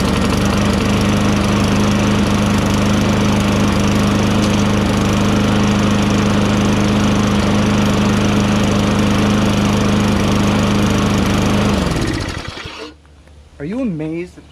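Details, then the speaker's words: Toro Recycler 22" self-propelled mower with 6.5 HP Tecumseh engine, after carburetor cleaning, running without air filter: even, steady single-cylinder drone, no misses or surging, then clean shutdown; engine running normally. "starts up just fine because i'm amazed"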